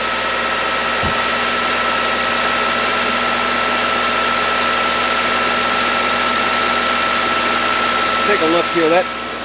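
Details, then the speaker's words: Subaru/Toyota/Scion FB20/FA20 boxer engine at first start after head gasket replacement, transmission fluid just refilled; steady idle with a thin constant high whine on top, owner suspects low transmission fluid and plans to top it off. "I think that was transmission I'm gonna um I'm gonna pump some more fluid into the trans and see if that sound doesn't go away"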